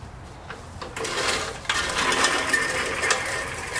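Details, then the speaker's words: Roadside-find push reel mower after adjustment: light, even whirr of the reel with soft clicking as it turns and no squeal; the cutting reel is now properly set. "test there you go squeal no more"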